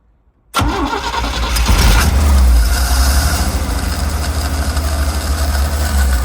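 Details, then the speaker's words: 250 CID six with a new Daytona carburetor, fuel pressure regulator and gauge, hot restart at zero PSI: a short burst of cranking, then it catches and settles to a low idle. Fuel leaking into the carb suspected; extended cranking on hot restart. "Uh when there was like 6 PSI during that last startup it fired right up. Uh didn't have to do anything. This time, there was zero PSI and I had to crank it a little bit."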